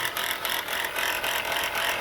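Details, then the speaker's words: Idling engine with a harsh steady rasping grind and fast rattle under the hood; alternator bearing judged shot, brown residue around it and the pulley bouncing. "all right guys from the looks of this and the sound of this look like the alternator bearing is shot"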